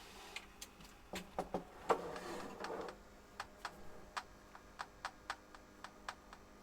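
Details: DEC Multia UDB VX40 computer at power-on after reseating a power supply connector that had popped out: faint sharp irregular ticks about twice a second from the small speaker over quiet fan hiss, cause undetermined.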